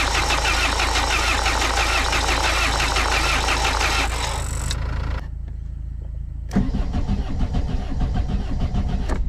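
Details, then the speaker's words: Renault Mégane coupé 1.9 DTI diesel after head and camshaft work: strong, even starter cranking about three turns a second, a pause, then more, no catch; oil light off, compression present, air in fuel, injector lines loosened to bleed. "Bon, le voyant d'huile s éteint, il y a de la compression du coup, tant mieux. Bon ben là, je vais dévisser les t d'injecteur pour purger le gasoil."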